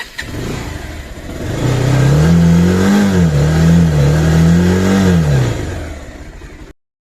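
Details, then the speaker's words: Bajaj Pulsar 220F after fairing vibration fix, revved through 4000-5000 rpm where vibration used to be worst: engine revs smoothly up and down twice with no panel buzzing or rattling; vibration stopped. "இப்போ நான் வந்து 4000 5000 முறுக்கிறேன் பாருங்கள்."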